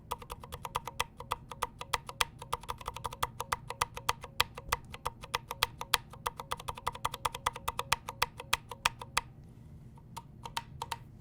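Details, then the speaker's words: KBD75V2 brass-plate keyboard with 62g Aqua Zilents switches, unlubed springs: each keystroke rings with a thin metallic twang after the click; switch spring ping. "can hear that ping that twang that's one of the benefits of lubing switch is you eliminate a lot of that"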